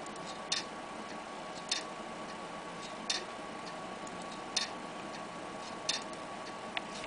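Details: Laptop hard drive that won't read or even be detected: sharp single clicks about every 1.3 seconds over faint hiss, heads repeatedly resetting; failing drive, click of death.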